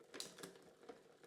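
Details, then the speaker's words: Dry, unoiled chain on a fairly new kid's bike with Shimano Cues gearing and a knocked rear derailleur. Irregular metallic clicks and chatter come as the chain tries to shift up or down due to wrong cable tension. "Getting noisier. You can hear that there. That's not happy where it is. It's trying to either go up or down."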